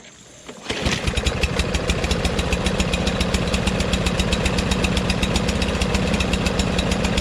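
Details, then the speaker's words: Craftsman LT2000 lawn tractor: engine catches after a brief crank and settles into an even, steady putter with no knocks or misses; runs okay but somewhat rich, with black smoke from the exhaust. "sounds pretty good so aside from it running kind of rich you can tell because the black smoke is coming out right start it up and runs okay"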